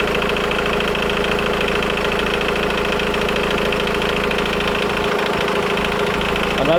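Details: Engine at idle: a fast, light metallic timing chain rattle persisting over 3 minutes after starting, even when revving; the stretched chain has collapsed its tensioner.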